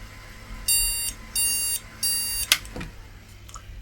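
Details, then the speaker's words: IBM NetVista Pentium 4 desktop board: clicking, then three short evenly spaced high beeps and a click. The board is failing its startup test. Pressing on the CPU changed the behaviour and moving the RAM didn't help. The cause is unknown. "We'll just release this again. Set it on there. And we're back to the clicking and the bleep."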